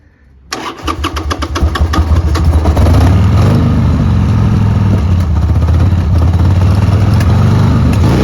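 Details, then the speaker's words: 1995 Harley-Davidson Sportster 1200 XL, about 24,460–26,000 miles, jump-started with no battery: deep uneven V-twin thump stumbling and surging before settling; lumpy, spluttering idle, seller suspects it needs carb clean and service. "It's a bit lumpy. Needs a carb clean and bit of a service. I'm sure it'll be fine. Motor sounds good."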